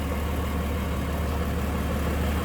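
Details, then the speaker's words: 1946 Plymouth Special De Luxe, 217 cubic inch inline six, 6-volt system, hood open in engine bay: deep, even, smooth low idle drone, no knocks or misses, runs like a sewing machine; normal idle. "This one does have one on the inside, but look at how smooth that runs. Like a sewing machine. 217 cubic inch, inline 6. It's a smoo"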